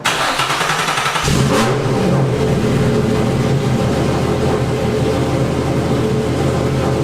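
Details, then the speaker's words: Cold start of a cammed (JWT S7) Infiniti G35 Coupe with full bolt-ons, just refilled with E85 after draining 93; air possibly in the fuel system. Catches after a second of cranking and settles into a loud, steady, high cold idle with even firing and no misses. Runs okay. "and I love that cold start it's crazy loud but it it sounds like it's doing okay"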